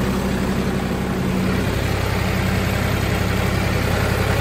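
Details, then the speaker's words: 2003 New Holland TC29D compact tractor diesel, after sitting three years, now serviced with new oil, oil and fuel filters, hydraulic hoses and fluids; even idle with regular low chug about 220 pulses a minute, no knocks, good temperature; running smoothly. "not sure where they are anyway but uh burn like a kitten good temp tachometer works fuel gauge looks like it works"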